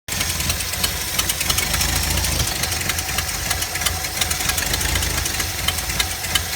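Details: 4.9L engine at idle: sharp uneven ticks and irregular stumble breaking the rhythm; owner suspects a misfire on cylinder 1, not confirmed.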